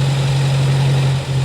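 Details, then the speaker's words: 1960 Triumph TR3, after a crank-no-start (needle and seat possibly stuck): once running, a steady fast hum well above normal idle; idle speed set way too high, carbs slightly out of balance, later adjusted down and balanced. "So once I got it running here, the idle speed was way high on it."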